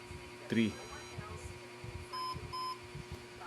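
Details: HP ProDesk 600 G4 SFF with an owner-reported company lock: powers on, no display, only blinking light and POST beep code, clear evenly spaced high beeps.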